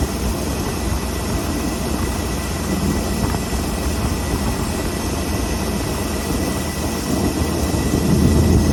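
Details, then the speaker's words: Ford F600 truck V8 with Holley 4412S two-barrel carburetor after idle mixture screw adjustment: low even idle, steady beat, no misses, running smooth even with idle set way down. "Okay. Right in there is where she's happy. She's still running smooth even though we got the idle way down."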